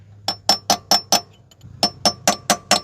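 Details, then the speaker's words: 1987 Pontiac Fiero GT transmission seal being driven in with a punch on its flange during a clutch job: two sets of five sharp, bright metallic taps whose note changes when the seal is fully seated; seal fully seated. "because that's all you want to tap on it makes a different noise when I when it's seated all the way"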